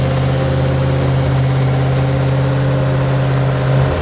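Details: Freshly built mild 340 V8 with a Holley carburetor and electric water pump: an even, deep burble with a steady low pulse and no knocks or ticks. Clean, healthy idle.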